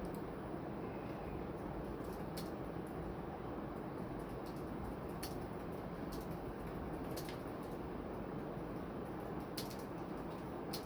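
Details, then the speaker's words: Envirofan Decorafan 48-inch ceiling fan, model 448-N, on a test rig with solid-state speed control, on high drawing about 0.7 A and 85 W: a soft, steady whoosh and low hum, no ticking or wobble. Bearings seem good; it runs normally and fast. "And One thing about these is that they will fly. Here's straight high. Man, yeah, that's moving."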